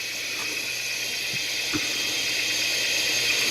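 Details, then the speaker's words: ZX Spectrum 128k +2 built-in tape deck loading a program: shrill, steady high-pitched loading tone over hiss, far higher than normal; the tape is running much too fast, cause unknown. "That doesn't sound right at all. It seems going round really, really quickly. This ain't right."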